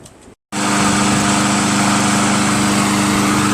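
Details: Craftsman Eager 1 22" self-propelled mower, Tecumseh 5.5HP engine, after carburetor rebuilt from five parts carburetors and governor adjusted back slightly, run for a while to burn off fuel: steady speed, even beat, no hunting or surging; normal running.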